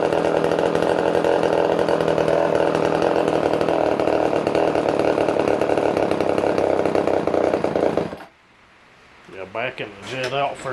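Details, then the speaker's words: Older Poulan 1800 Wood Shark chainsaw runs only on choke, drawing fuel by suction; buzzes unevenly about eight seconds then dies. Carburetor kit needed, fuel delivery suspected. "what it's doing is when you choke one that way and it gets enough of a suction it can actually Sion fuel through the vuy um from the tank believe it or not"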